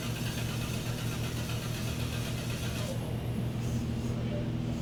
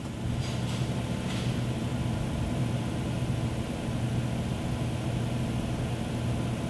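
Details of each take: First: 2011 Chrysler Town & Country/Grand Caravan 3.6L, 115,000 miles: engine cranks at an even rhythm for several seconds but never fires, intermittent crank-no-start caught in the act, with no voltage from the TIPM and no current to the fuel pump. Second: 2011 Chrysler Town & Country/Grand Caravan 3.6L, 115,000 miles, intermittent crank-no-start and stalling under diagnosis: starts cleanly into an even, steady low idle with no misses or knocks, fuel pump current present.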